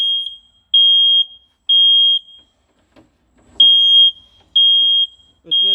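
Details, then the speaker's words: Smoke detector on adapter power still alarming about a minute after test smoke, heard from 6–7 metres away; loud high half-second beeps in a steady pattern. "6 metre 7 metre uzaktayız halen ötüyor bir dakikadır ötüyor"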